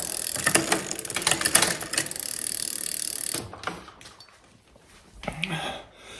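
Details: 2004 Klein Aura X with Shimano 6500 double groupset, after installing cables and adjusting derailleur limit screws: quick light ratcheting freewheel clicks as crank turns, then quieter spinning, no grinding or chain skipping; drivetrain healthy.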